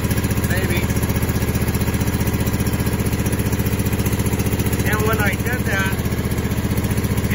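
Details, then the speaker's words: Husqvarna TS 248XD twin-cylinder riding mower idling with a lopsided, uneven thump of about three beats a second and no power. A plug-pull test shows it fires on only one cylinder, so it dies when the PTO is engaged. "so that tells me it's only firing on this cylinder so out of the two cylinders it's only running on one so that's why it's not having the power"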